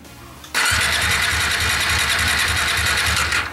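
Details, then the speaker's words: New Bajaj Dominar 400 motorcycle, no-start: starter cranks steadily about three seconds, never catches; spark plug only slightly damp after many cranks, suspected no fuel (injector, pump or ECU); crank no start, fuel delivery fault. "fíjense que si está muy poquito húmeda pero ahorita para 34 marchas debería de estar ahogada de gasolina porque no está arrancando"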